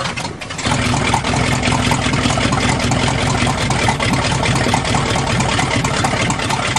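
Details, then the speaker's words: 1977 GMC truck with 400 V8, warming up after a fix and cold start: deep, even burble holding a steady idle with no misses, knocks or ticks, sounding like a big block; normal idle. "sounds like a big block now"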